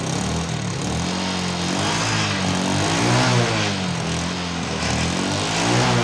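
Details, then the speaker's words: Motorcycle after repairing a stripped spark plug thread in the cylinder head without engine removal, loose exhaust clamp found: starts straight away on the starter and settles into an even, steady beat around three firings a second, no misfire or knock. "Tapi di sini alhamdulillah aman, ya, kita starter langsung hidup."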